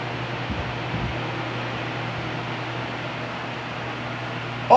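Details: Arno Silence Force 40cm fan running with its own oscillation set fitted: constant low fan hum and airy rush, no clicking or grinding from the oscillation drive; runs quietly and normally.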